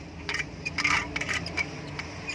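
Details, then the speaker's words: Indo-brand 230 V 50 Hz ceiling fan with an odd, fairly loud noise: irregular light metallic ticks and scraping over a faint hum from a dry, jammed fan bearing, before repair. "इस तरह से कुछ वॉइस आ रही है इसमें। ये देखिए, काफ़ी ज़्यादा नॉइस है।"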